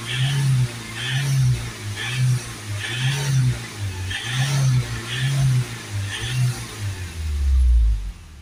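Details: Ford Transit diesel with power loss and a DPF-full message. The engine is blipped repeatedly, each rev rising and falling cleanly about every 0.7 seconds, while the fuel system vaporizer is checked for smoke injection: normal revving.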